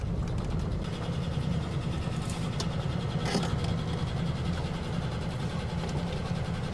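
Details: 1967 Barracuda V8, long-stored: low, choppy idle with an uneven, chattering beat instead of a smooth burble, described as sounding like a chaff cutter. The noise seems to come from one side. Misfire and rough running, cause not yet found.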